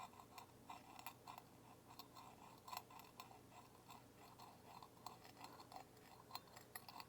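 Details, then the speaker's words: Incandescent halogen light bulb, installed September 2025, failing by January 2026: irregular sharp ticks and crackles over a faint hum from a lead not properly welded to the halogen capsule, loose and arcing, causing vibration noise. "I think that this was loose on there, and it's very evident that it has definitely been arcing. In fact, that's the sound."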